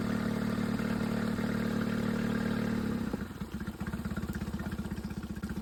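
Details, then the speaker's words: Suzuki outboard on an O'Day sailboat, checking forward gear via Dometic remote control: steady drone at throttle, then eases back to an even, regular putter at idle; shifts smoothly, runs clean and healthy. "Okay, checking out forward. That works fine. I'm loving this. It feels smooth."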